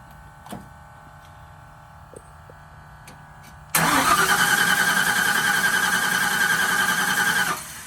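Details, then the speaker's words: Newly installed truck engine on a start attempt cranks at a steady, even pace for about four seconds and never catches. The ignition coil was unplugged, and a fuse had probably bounced off. "Oh no, I don't have the coil plugged in."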